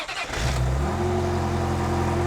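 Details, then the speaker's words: Ferrari 355 V8, manual, after engine rebuild with Tubi, Larini and Capristo exhaust, exhaust valves closed: starter whir then smooth, steady high idle with a deep even drone; healthy start. "Now, to be fair, even that sounds great. And that's probably better than a stock 355."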